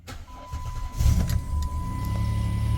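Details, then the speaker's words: 2008 Dodge Grand Caravan 3.8 L, about 240,000 miles, after replacing worn, flattened motor mounts to cure vibration: engine catches after brief crank and settles to a steady, even low rumble, no knocks or rattles, noticeably smoother; normal start. "I tell you what just right off the bat I can feel it's nice and smooth pretty amazing actually"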